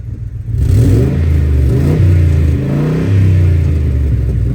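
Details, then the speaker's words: Crown Victoria P71 Police Interceptor V8: loud deep raspy rumble swelling with each throttle blip from an exhaust leak where the pipe is rusted out under the driver side; planned fix is cutting out and welding in new metal. "that crazy exhaust leak so uh portion of the pipe literally right under the driver uh side is uh rusted out so it it has this really really nice exhaust leak"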